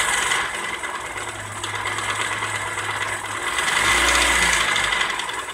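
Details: Opel Astra F 1.4 8v Si (C14SE) petrol engine revved, loud hum, rasping and knocks seemingly from low in the engine; owner first suspected timing, rod or main bearings or piston pin, but a failed coolant pump was the cause, and it runs quietly after replacement.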